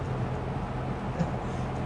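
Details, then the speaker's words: Lakewood P25 metal-blade fan, bought new around 2009-2010, barely used, running in a window on medium speed. A steady low rumble with a soft metal-blade chop over the airflow; running evenly. "I just love how you can hear that chopping sound, those metal blades."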